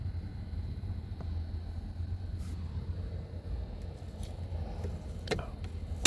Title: 2022 Mitsubishi Outlander rattling sound on cluster